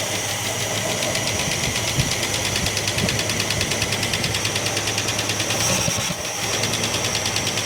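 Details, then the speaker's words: 1967 Plymouth Barracuda, long unused, restarted after pulling plug leads: fast uneven ticking over a hissy, dull, flat idle, running rough; owner suspects wrong ignition timing, distributor looks turned out too far, not confirmed. "It sounds like it's really It's really, really flat."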